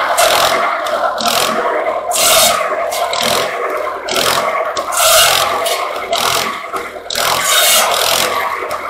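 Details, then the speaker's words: Wisconsin THD engine driving an antique buzz saw through slab wood after mouse nest cleanout: steady beat while the blade screams through repeated cuts, dipping briefly under each load and recovering well; successful test run. "shhh so well i'd say that was a successful test run and uh of the thd wisconsin"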